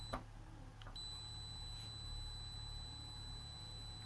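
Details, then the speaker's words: Multimeter on continuity across a board inductor (coil L2) gives a steady high-pitched beep after light probe taps while reading about 3 ohms. The inductor is good. "பார்த்தீங்களா 3 ohms காட்டுது and plus buzzer sound வருது. So அப்போ இந்த inductance வந்து நல்லா இருக்குன்னு அர்த்தம்."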